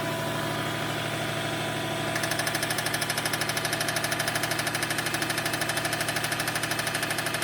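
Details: 2004 Subaru WRX, 153k miles, total-loss title: after a couple of seconds a sharp, fast, evenly spaced knock starts over the idle and keeps time with the engine. It sounds like rod knock, suspected but not confirmed.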